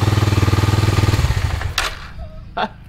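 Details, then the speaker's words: 2000 Kawasaki Super Sherpa 250cc single, sat in storage for years, first start on choke: even thump about four beats a second for over a second, then fading out; normal running. "yes whoa it sounds good it's down super-sharp of lives now motor purrs"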